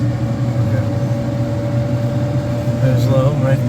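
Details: Kitchen hood exhaust fan after cleaning, motor reinstalled and damper flaps bent to close: steady low hum with faint even tone, no scraping or flapping; running smoothly on low.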